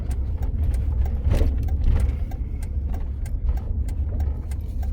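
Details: Pickup truck at about 70,000 miles that would not rev past 2,000–2,500 RPM due to an electrical fault, driven after repairs: steady low engine hum with an even beat and no stumble or cutout. Now runs smoothly.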